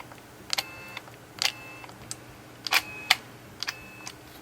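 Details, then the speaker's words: Nikon D90 with shutter error and mirror stuck: pressing the shutter gives sharp clicks and "woo woo" whirring bursts but no release; the shutter unit motor gear was cracked with age; cracked shutter motor gear. "When I press the shutter button I can only hear the motor sound"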